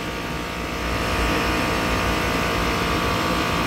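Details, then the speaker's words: Commercial HVAC unit on a no-cooling call, motor protector showing a seven-flash fault, standing pressures high: the second Copeland compressor clicks in and runs with a loud, even, steady hum. The fault then cleared. "so i think this is the first second compressor it just started just clicked in"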